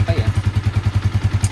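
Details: Yamaha Vixion single-cylinder idling after a cylinder rebore that cured a ticking noise following the throttle: steady, even thump about ten beats a second with no clatter, compression back to normal.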